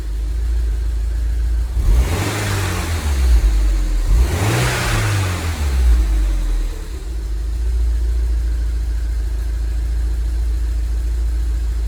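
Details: 2002 Rover 75 / MG ZT bought with a bad engine after long storage, slightly smoky: it revs up twice and settles to idle with an uneven, stumbling misfire. The owner suspects the catalytic converter or an oxygen sensor; the cause is unconfirmed.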